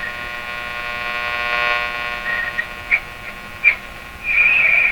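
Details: Wonderbar tube car radio with a non-working vibrator, run from a heater supply and a high-voltage shop supply for B+, tubes warmed up and tuned with no antenna connected: steady buzzy hum with stacked tones, a few pops and swells.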